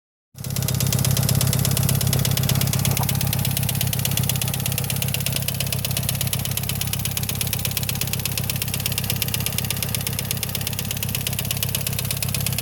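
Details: Mitsubishi Evo IX at idle with a loud, fast, even ticking of roughly three per second that started suddenly; owner suspects lifters, not confirmed.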